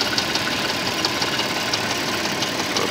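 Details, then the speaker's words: 1996 Audi A4 2.6 V6 petrol with engine knock: sharp light ticks about 87 a minute, barely audible at low idle, clearer at 2000 rpm; cylinder to be found by pulling plug wires. "при малых оборотах стука практически не слышно набираем обороты 2000 оборотов ток слышим"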